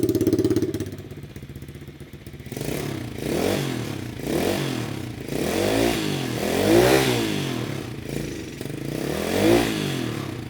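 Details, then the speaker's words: Rebuilt 125cc Chinese pit bike with new cylinder, piston and welded muffler: single-cylinder revs rising and falling, muffled and fairly soft with no harsh rasp; quietest exhaust setup tried. "That's definitely the quietest right there. I think that has a better exhaust note though. Wow. I cannot believe how good that sounds."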